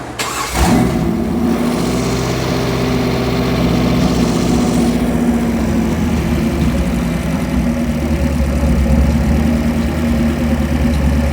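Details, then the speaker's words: 383 Chevy stroker marine engine for a Cobalt 226 boat, all forged steel internals, Comp Cams marine roller cam, AFR heads, Holley Sniper 2 EFI dialed in, timing set, no leaks: brief crank, fires right up, smooth steady idle with no misses, knocks or ticks. "Put the AFR heads on there, Holly Sniper, EFI's all dialed in, timing set, no leaks. Ran absolutely perfect. I'll fire it up again."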